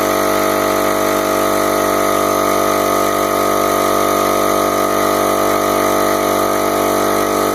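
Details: Home Depot mid-grade air compressor after replacing failed reed valves with HL4000 kit: steady, even motor hum at constant pitch, no knocks or rattles; running normally and building pressure after repair.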